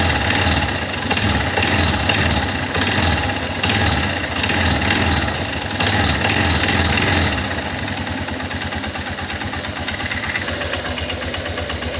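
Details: Guerrero 250 ATV small single revving under throttle and settling back, with a rough irregular rattle over the engine note on acceleration; abnormal noise, source unknown.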